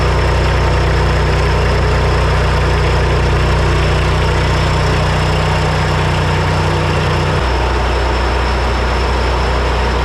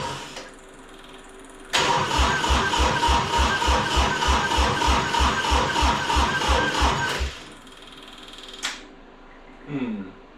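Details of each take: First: Three-cylinder Kubota diesel repowered into a Melroe 610 skid loader, first fire-up: settles into a steady, even idle with deep smooth rumble, no misses; runs right after the fuel shutoff solenoid, which worked opposite to expectation, was rewired. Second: Three-cylinder Kubota diesel repowering a 610 Melroe skid loader, first fire-up. Steady cranking, about three compression pulses a second for five seconds, never catches. No fuel: the powered shutoff solenoid held the rack closed, starving the injectors.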